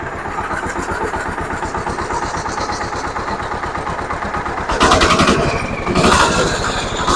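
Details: Zubr walk-behind tractor (motoblok) single-cylinder engine after reassembly with the oil and water pressure sensors fitted, rpm lowered and oil pan cleaned. Steady, even thumping with no knocks or misses, revs briefly rising near the end; running healthy.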